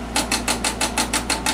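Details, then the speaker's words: HP 405CR digital Nixie-tube DC voltmeter after capacitor and resistor replacement, powered at about 4 V: quick even ticking bursts, about six a second, over a low hum; the ranging stepper motor cycling as the meter samples, contacts possibly need cleaning. "Apparently, this is, that noise you're hearing is a stepper motor right here."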